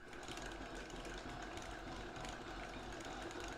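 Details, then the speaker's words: 1/6 scale Armortek Hetzer (Jagdpanzer 38) model tank, 24-volt drive motors, first road test on a patio at slow speed: steady, even whirring track drive with light ticking from road wheels on leaf springs, no binding; running much better, track drive healthy. "I can hear it's running so much better so I'm really really pleased with that"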